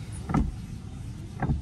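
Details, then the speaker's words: 27-year-old Toyota Camry wipers sweeping with soft, dull swishes about a second apart and no squeak, after lubricating the corroded metal wiper arm joints; noise fixed. "it sounds much better than before. So that is how to eliminate the noise coming from the wiper arm."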